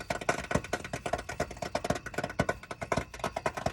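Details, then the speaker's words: 2021 Coachmen Beyond AWD Ford Transit 350 HD van, about 3000 miles, just shut off after a 35-mile drive; sharp irregular pops like popcorn come several times a second for a while, not the usual ticking; something seems hot, cause not yet determined. "you typically hear the car ticking this was not a ticking this was a popping sound like popcorn and it was consistent it went on for a while"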